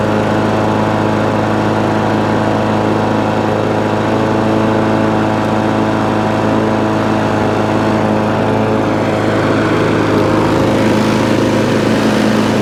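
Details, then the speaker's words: Free scrap lawn mower, cold start after about 10 primer pumps to clear water in the fuel, reportedly not running before: fired straight up, bit smoky, steady even note at constant speed, no misses or surging; running cleanly. "so so straight away fire straight up bit smoky but it's not missing a beat"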